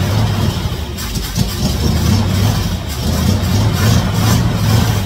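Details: 1956 Chevy Nomad V8 that sat over two years, running on primed fuel only: rough and uneven, with rpm surging and sagging as it dies back, because no gas is reaching the carburetor.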